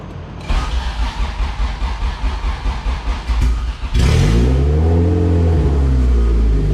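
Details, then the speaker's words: All-motor LSV Honda EF hatch on Hondata S300, idle running lean at about 17 AFR while low-rpm fueling is adjusted: cranks, catches, then lumpy hunting idle that barely stays running; lean rough idle. "it was a little lean it was about 17 afr so we're gonna get some fuel in there and uh see what happens"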